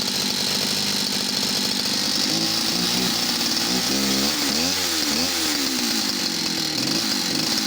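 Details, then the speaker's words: West German Stihl 041AV two-stroke chainsaw revving and dropping back. After each throttle-down it struggles to pick up fuel before the note fattens and throttle response becomes good. Needs stripping down; cause unconfirmed. "so when i throttled down you could just hear it then struggling to pick up fuel and then when the note had gone fat and you could hear then it the throttle response is great"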